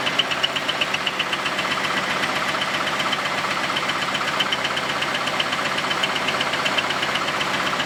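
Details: Camaro V8 first run after a quick weld of the exhaust Y-pipe, running terribly: a loud, sharp, regular knock of about four per second at idle; cause undetermined.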